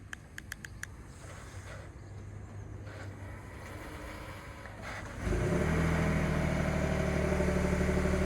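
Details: 2021 Ford F-150 PowerBoost remote cold start at about minus 20: four quick chirps, then a loud, rough whirring, cavitating grind over a steady idle hum. Cause suspected, not confirmed.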